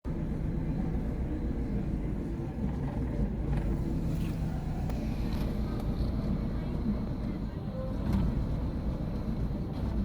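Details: Chevy Aveo: low, uneven idle with a loping beat and slight surges in level. Rough idle, cause not yet known.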